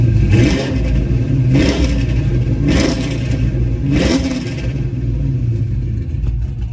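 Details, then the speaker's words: Pontiac GTO, before changing the spark plugs, throttle pressed slowly: four short blips, each rising unevenly and sagging as if about to cut out, a stumble off idle. Owner suspects the spark plugs; not confirmed. "there you go I'm pressing it slowly almost like it's about to cut off"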